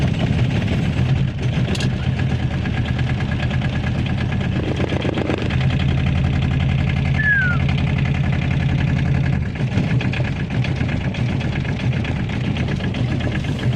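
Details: Aixam microcar cold start at -4 degrees with an old battery, stalled once then started; steady low diesel rumble settling into an even idle, no knocks or misses; running fine.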